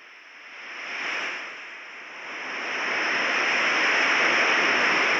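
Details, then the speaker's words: HVAC system slowly losing its refrigerant charge, heard through an AccuTrak VPE ultrasonic leak detector scanning the condenser enclosure: steady hiss builds and holds as the probe nears the refrigerant line, pinpointing the leak. "from here the technician is already able to hear the refrigerant leaking upon closer inspection the technician is able to easily pinpoint the leak in the refrigerant line"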